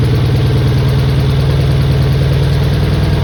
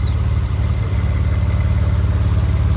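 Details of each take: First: Mitsubishi 3000GT VR4, first start of the new engine on old injectors the owner tried to clean. Heavy, lumpy low idle with an uneven beat, running on only a few cylinders. Misfire blamed on stuck injectors. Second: Mitsubishi 3000GT VR4 newly installed engine running: a smooth, low, even idle with no ticking, knocking or rattles, and temperature, oil pressure and voltage reported good, a normal idle.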